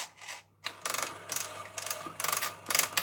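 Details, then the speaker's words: Collaro RC54 record changer running with its idler wheel refitted without the rubber tyre: harsh, hissy mechanical clatter in uneven bursts; the noise should go once the idler is re-rubbered. "I will warn you folks this is a bit noisy because I've put the idler back in but there's no rubber on it so it is a bit noisy but it does work as you'll see"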